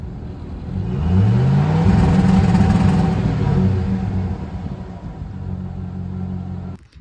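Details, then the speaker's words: 2007 Chevrolet Silverado Classic (lowered, AWD build) with newly installed MSD two-step: revs sweep up then hold on the limiter at 2500 rpm with rapid choppy pops and deep exhaust; exhaust tip removed, so the earlier rattle is gone; sounds better than 1500 rpm. "okay so that definitely sounded way better than 1500 RPM twostep did but everybody says that the sweet spot is around 3,500 RPM so that's what's next"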